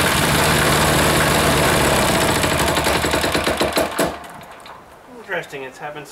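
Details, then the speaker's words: Air-cooled diesel engine just reassembled, single-cylinder thump running fast but wavering and stumbling before dropping away; owner suspects air in the fuel line, possibly sucked in at a leaking fitting, and notes smoke; rough running. "running problems it's almost like it's got some air in that line again think it all right might work itself out once it runs for a little bit"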